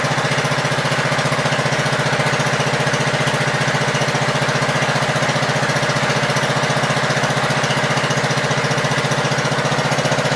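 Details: Gravely Pro 12 single-cylinder, choke on, just above idle: steady evenly paced beat, no tapping or misfire; deck not turning easily; engine sound.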